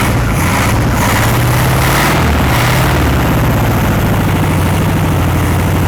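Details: 1960s VW Beetle 1500 air-cooled flat-four petrol, unstarted since 1973, 8000 miles, after over 20 minutes running: steady even low idle with no knocks, misses or ticks; oil light out, oil clean, healthy.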